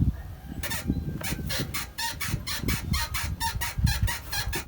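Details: BMW 3 Series E90: quick high-pitched chirps in uneven bursts over low rumble; a dry floating suspension bushing squeaking on the left side only, in dry sunny weather after 15-20 km; fixed by injecting grease through its boot with a needle.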